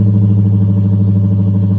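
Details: 1994 Lexus LS400 1UZ-FE V8, 172,000 miles, after exhaust leak repair with two mufflers deleted and two Flowmaster Super 10s: deep, even burble at steady idle with smooth pulse, no ticking, puffing or leak hiss.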